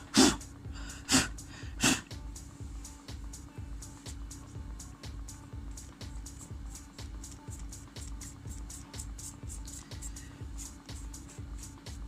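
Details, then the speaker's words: Toshiba Satellite C660 2011 Pentium laptop, fan after dust cleaning with blower: steady low hum with faint tick about once a second, still noisy though quieter than before; bearing or rubbing suspected. "आवाज़ अभी भी है ज़्यादा ये भी। पर फिर भी हाँ उतनी कंपैरिजन में कम है जितनी हो रही थी ना।"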